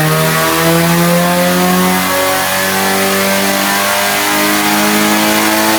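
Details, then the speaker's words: Nissan 180SX Type X, SR engine, TD06 20G turbo, full-load dyno pull at 15 psi with injectors maxed near 255 rwkw: smooth engine note climbing steadily through the revs with no misses or knocks. Strong, healthy pull. "Got it up to 15 psi, maxed out the injectors at 250 kilowatt, but it sounds really healthy and strong, so pretty much perfect for pretty much beginner to intermediate for 250 real kilowatt."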